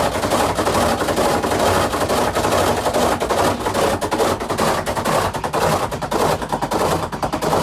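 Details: Samsung WA48H7400AW/A2 top-load washer on test spin, around 200 rpm and building: heavy, uneven knocking about twice a second as the tub slams the cabinet, probably from worn suspension rods; the four corner rods are recommended for replacement.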